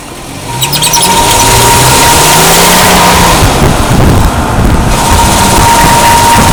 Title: 2005 Tacoma, bad carrier bearing?